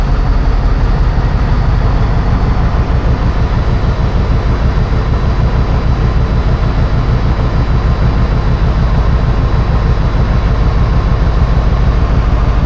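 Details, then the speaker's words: 1980 Peterbilt 359 EXHD with Caterpillar 3408 diesel, idling after fuel-system repair that cut down air getting into the fuel: heavy, even low thrumming pulses at steady idle, no knocks or misses; runs smoothly, though air pressure builds poorly. "it's time let's fired up all the oil pissies that's good uh how's it feel to sit in a running 3408"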